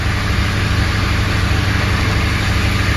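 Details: Honda Accord petrol engine idles low and uneven with a faint stumble about three times a second, with engine light on and code P0302; suspected cylinder 2 misfire, unconfirmed.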